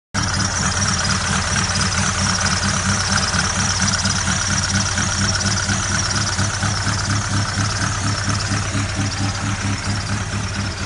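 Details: Ford Galaxy idling: regular clacking knock about twice a second over a steady low rumble; knocking at idle, source not yet pinned down.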